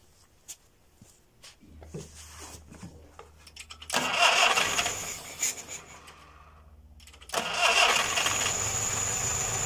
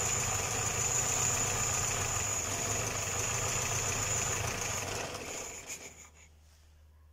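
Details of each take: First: Homemade small tractor with a Škoda 1202 engine, first start after converting from a twin-choke to a single-choke carburettor with a made adapter: starter churns, catches around four seconds, stumbles, then settles running; normal start. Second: Homemade small tractor with a Škoda 1202 engine, first run after converting from a two-barrel to a single-barrel carburettor: steady running with a strong, constant high hiss until it shuts down; leak location unknown.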